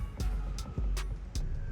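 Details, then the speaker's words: MBK Nitro scooter with the rider on it as the rear wheel is rocked: sharp clunks about every 0.4 seconds, loose metal knocking from excessive rear wheel play; dangerous, not to be ridden like this. "Voilà, donc la roue bouge, on entend bien. Donc là, c'est dangereux, faut pas rouler comme ça."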